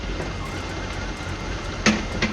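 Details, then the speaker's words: BMW 330Ci cold start right after being moved, having died three times: very rough idle with two sharp pops about half a second apart; misfires, cause not yet pinned down, before repair. "But you're getting a very very rough idle. Getting some of the misfires."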